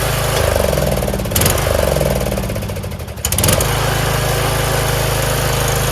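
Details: Troy-Bilt Pony lawn tractor single-cylinder engine, after oil change and sitting a year with gas in it: thumping briefly dips then settles to a steady, even idle, no knock or miss; normal idle.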